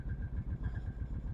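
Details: Kawasaki Prairie 650 V-twin ATV idling with choke adjusted: a steady knock about eight times a second over the twin's thump. Not a deep crank knock; it runs, drives and smokes slightly, and the owner suspects severe piston slap. Cause unconfirmed.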